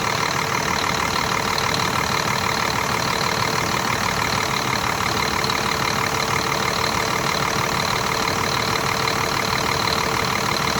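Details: Scania R400 DC12 truck diesel that came in with an engine knock, rebuilt with new liners, pistons and camshaft. On first start after the rebuild it settles into an even, steady idle with a clean, regular beat and no knock. Normal idle.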